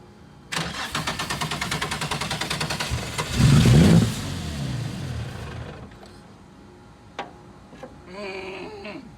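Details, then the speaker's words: VQ35-swapped Nissan 240SX drift car sat about 6 years, cranked with brake cleaner sprayed in: steady cranking chug, brief catch and rev that fades; starts only on sprayed fuel, suspected fuel delivery problem. "Well, guys, we actually got the car to start, but not on its own fuel system. So it looks like there's a problem maybe with the fuel deliv"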